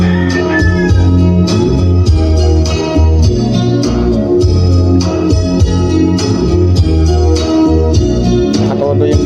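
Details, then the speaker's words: Crown D15 speaker after repairing a broken voice coil, bass at full: music plays full and steady with heavy bass and no crackle, buzz or dropouts; the driver works properly again. "So narinig niyo naman guys sa video natin na tumutunog na siya. So okay na."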